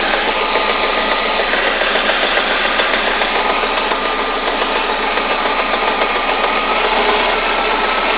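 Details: Citroën Saxo 16v petrol engine at idle: busy, irregular tapping over steady hiss; strange engine noise at idle, cause not identified.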